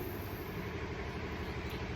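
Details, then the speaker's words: 2005 Cadillac CTS 3.6L with misfires (P0300-P0306), cat codes and a rich smell, engine off during a leak-down test: a steady, even rush of air from the tailpipe. This shows 100% leakage past a leaking exhaust valve. "I hear it in the exhaust quite a bit and in fact I can even smell it because it's been running rich"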